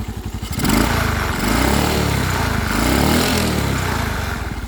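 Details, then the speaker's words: Suzuki Smash Titan single-cylinder motorcycle with new Shogun 0.75 oversize piston, running without an air filter element (box only, cracked): revved and held, rough buzzing shake and rattle as revs climb; vibration at high revs, cause unclear. "agak ganggu ya inilah mulai getar-getar nih diikti tambang kalau motornya ini yakin kuat ini masihan"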